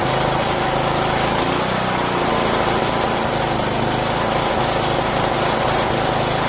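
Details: Yard Machines 1742 lawn tractor, owner-rebuilt single-cylinder engine running unevenly, beat stumbling and surging; owner suspects the reproduction Chinese eBay carburetor, not confirmed. Rough running engine.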